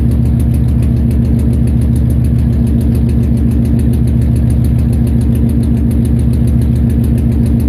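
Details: Nissan VH45DE V8 idling with an uneven, lumpy beat of about three to four heavy pulses a second: engine misfire at idle.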